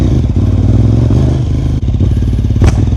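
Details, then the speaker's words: Suzuki TL1000R V-twin idling, before throttle position sensor and throttle body balancing: uneven, stumbling beat with occasional dropped firing pulse; misfire, TPS misplacement suspected. "Oh, did you hear that? There's a misfire."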